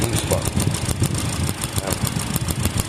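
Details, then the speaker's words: 2013 Hyundai Elantra 2.0L with intermittent shake/stumble at idle, worse with AC: uneven chuffing idle with stumbling pulses; cylinder 4 misfire though new plug and coil spark well, owner suspects carbon buildup needing fuel system cleaning. "does have a cylinder misfire but I'm looking at that and that's telling me that the plug and the coil should be working"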